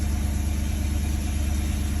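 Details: BMW M62B35 V8, fully warmed up, at idle after the same VANOS units were reinstalled with corrected timing. Deep, smooth, even idle with a steady low pulse, no ticking or knocking. Normal idle; knock gone.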